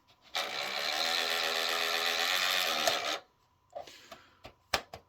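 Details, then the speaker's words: Worn disc drive gear train in an old PlayStation 3 that boots to the UI then shuts down: about three seconds of harsh buzzing grinding from the drive mechanism, then quiet clicks. The gear train needs replacing but works for now. "So that gear train needs to be replaced. Obviously, I don't have the parts to do that, but it's working for now."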